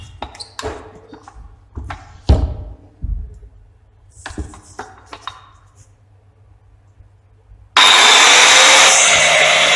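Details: Old Bosch GWS 6-100 4-inch angle grinder after housing bearing and switch repair: some handling knocks, then it spins up to a steady high-pitched whine and holds it evenly, running clean. Normal running.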